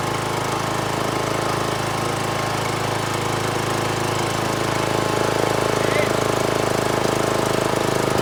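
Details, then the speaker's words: John Deere L100 riding mower, first run after years sitting: lumpy, harsh uneven beat with smoke and some fluid expelled; rough running, owner suspects bad fuel. "ties are really flat and it doesn't sound right but that's tomorrow I think it's got bad fuel by the smoke and everything"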